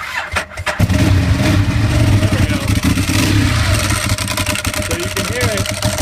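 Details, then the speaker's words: 2011 Ducati 1198, 13,500 miles, no error codes: after start, lumpy twin idle with a steady whirr over it; owner suspects failing bearings or timing belt pulleys, not confirmed. "i've been hearing a whirring sound kind of like a bearings going out or maybe even the timing belt pulleys are just failing"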